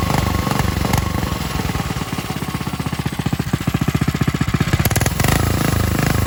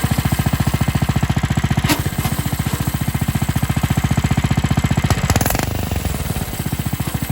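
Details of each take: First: Coleman RTK100 (CK100) 100cc go kart single-cylinder engine at steady idle, even firing with no clutch grinding; the properly running kart, for comparison with the other kart whose unlubricated centrifugal clutch grinds and bogs. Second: New Coleman RTK100 (CK100) 100cc go-kart: engine chugs, then bogs and drops under load as the centrifugal clutch grinds; clutch not properly lubricated from the factory.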